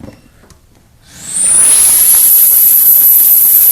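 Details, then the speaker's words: Central vacuum with a good-quality 1 3/8 inch crushproof hose just plugged in: quiet, then a rising rush of air settling into a strong, steady high hiss; airflow meter reads 7 versus 3 for the old wire-reinforced hose; strong suction. "You can actually hear the difference. That's got amazing suction, and our meter says 7."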